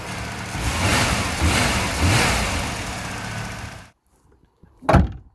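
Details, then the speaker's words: 1991 VP Commodore after ECU replacement: smooth, even idle at correct speed, no thermo fan running, A/C compressor heard engaging; then a clean shutdown and a door thunk. The new ECU fixed the rough running and the check engine light. "That idle's where it should be. Now let's see if the air conditioning works. I heard it engage. That's what we want to see."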